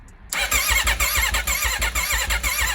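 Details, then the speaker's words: Wrecked 2021 Aprilia RSV4 under rebuild, cold chilly day, full battery, in neutral: fast, even starter churn for a few seconds but the V4 never catches or fires; crank, no start. "nothing still doesn't want to start when we crank it over"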